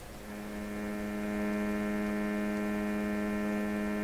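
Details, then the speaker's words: Electrohome Chippendale console radio, FM IF alignment at about 10.7 MHz using sweep generator, oscilloscope and SDR display; steady low buzz at constant pitch from the speaker, no crackle or drift, the normal expected sound of the sweep signal. "kind of what it should sound like a buzz"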